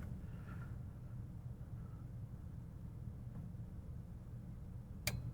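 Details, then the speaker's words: Vintage Marantz 1180DC amplifier after repair, power on: quiet low hum, light flashes and dims, then one crisp click about five seconds in as speaker protection relay pulls in; working again. "okay light flashed and went dim ah it clicked did you hear it I think we have success it's pulled in"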